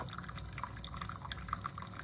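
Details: Chefman single-serve coffee maker with rear reservoir, brewing around 10 oz, water getting hot: irregular light drips and trickles into the cup over a low background hum; dispensing normally.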